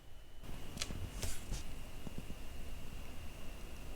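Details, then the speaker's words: New Dell XPS 15 9510 (2021) laptop running Windows: a thin, steady, slight high-pitched whistle held at one pitch over soft fan noise. Source not identified. Abnormal whistling. "And I don't know if you can hear that, but this is making some kind of weird whistling sound."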